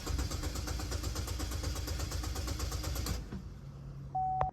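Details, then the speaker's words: 2012 Chevy Malibu with cylinder 2 misfire code, cranking in clear-flood mode before a relative compression test: steady three-second crank with evenly spaced compression pulses, no cylinder lagging; even cadence. "before I do the RC I'm just going to test that out and we do sounds like a pretty even Cadence okay"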